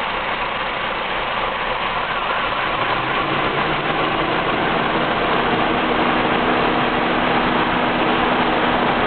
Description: This shows how rough my engine is at idle. You can see the vacuum fluctuate between 13 and 15 inches. The entire engine shakes.